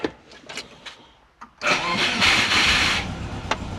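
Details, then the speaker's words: Turbo Subaru Forester on Haltech Elite 550 ECU, starting after a lower radiator hose coolant leak repair: several weak sputtering cranks fail, then the engine catches and roars up; hard start, extended cranking. "Come on. Oh, but you don't want to start."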